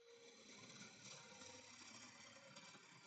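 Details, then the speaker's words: Wood lathe motor with the belt on the high-speed pulley step: high, busy whirring with fast irregular ticking, running very fast and noisier than normal but not harmful; overspeed from belt position. "Sounds like the motor is running 100 mph because it's on the locally. So, the motor is running quite fast actually. Certainly, it's not going to hurt it. Just makes a little bit more noise than normal."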